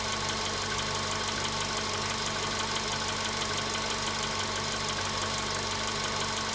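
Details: VW Polo Sedan at 93,000 km, cold start: faint, uneven tapping about twice a second over a hissy running engine; a knock is present but its source is unclear.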